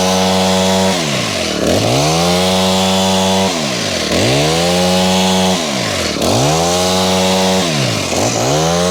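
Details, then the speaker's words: Honda HHH25 four-stroke hedge trimmer after carb tuning and a new fuel filter, during a cutting test: it revs up and drops back cleanly without stumbling. Problems were still reported afterwards, and a bad carb diaphragm is suspected. Normal running. "So now I want to test it to see if it will actually cut properly as well."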